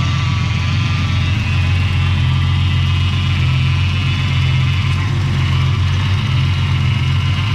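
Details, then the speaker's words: Ford AU engine's first start after the harmonic balancer went on, before the reseal and new water pump: deep, steady idle with an even beat and no ticking, knocking or stumbling, sounding all right and healthy. "right sounds all right sounds like an engine number one damn good"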